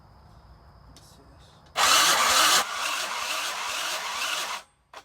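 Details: Tao Tao 50 moped bought as junk for $30: about three seconds of steady starter cranking with no catch or pickup, then it stops dead; engine turns over but won't fire despite spark confirmed and fuel sprayed in.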